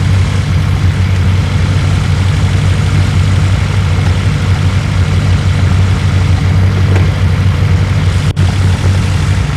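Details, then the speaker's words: 1972 BMW 2002 with a start-and-run issue, warm after about five minutes, charging around 12-13 V: a steady, even low rumble with no misses or stumbles. A healthy warm idle. "I'm gonna continue to let this thing you know warm up and see if it falls on his face or not but so far I think it's been run for about five minutes in sounds good"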